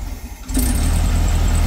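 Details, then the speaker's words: Car restarted after new spark plugs and ignition work, with oil leaking into the distributor; still sounds like it's missing, one plug not yet replaced. Idles low and uneven, sagging toward stalling; owner suspects it was clearing fuel; rough idle. "she wanted to die that well it's coming good might have just been getting that fuel out of its system"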